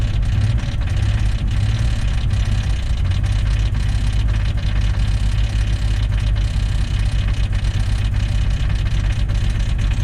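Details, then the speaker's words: 1999 Jeep Cherokee XJ 4.0L, jump-started: loud, uneven low rumble with ragged clattering over lumpy idle that barely holds and won't idle on its own; rough-running engine racket, cause unknown. "Oh! There's a delightfully fine racket for the engine to make. Can you hear that?"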